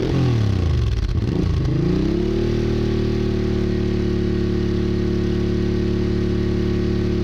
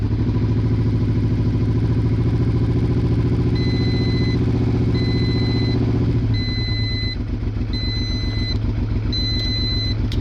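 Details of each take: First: Honda Bros/Hawk GT 650 (late-80s), warmed up over 10+ minutes, camera held near the exhaust: a few quick blips rise and fall, then steady, even, deep idle, no knocks or misses; healthy. No coolant leak found. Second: Honda Bros/Hawk GT 650 V-twin, late-80s, just started cold after battery recharge: uneven, lumpy loping idle on one cylinder that smooths and firms after about six seconds as both cylinders fire.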